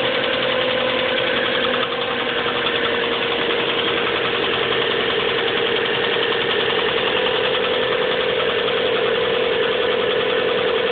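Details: 1997 Subaru Legacy Outback idling cold: fast, uneven tapping about three per second over the engine note, worsening since winter start, fading after about 20 minutes' warm-up and returning briefly at idle after stops; cause unknown.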